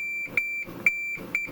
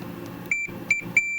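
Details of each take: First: Multimeter continuity check along the shielding strips of a Farfisa O.R. 200 amp's reverb area: a high beep chirps in broken bursts, then cuts out where nothing joins the strips. Intermittent continuity in the shielding. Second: Multimeter continuity check of the shielding in a Farfisa O.R. 200 amp, at a point that tests well, unlike a poor spot near a screw head: short, clean high beeps ending in a steady tone. Good continuity.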